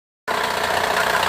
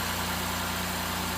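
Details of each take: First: Honda J35 V6 at idle: steady dull regular knock that mimics internal engine failure but comes from a failed hydraulic timing belt tensioner, located low on the engine. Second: Honda J35 V6 after replacing a failed, leaking hydraulic timing belt tensioner that caused a knocking mimicking internal engine failure: smooth, even idle with a steady low hum; knocking gone, a few air bubbles still bleeding from the coolant.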